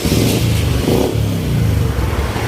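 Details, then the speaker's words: Yamaha Spark 135 after overhaul with new carburettor, water pump seals, spark plug replaced: engine revs and idles smoothly with no knock or rattle, exhaust slightly loud; normal idle. "เงียบครับแต่ท่อดังท่อมีเสียงนิดหน่อยเต้าหู้เดินเรียบครับ"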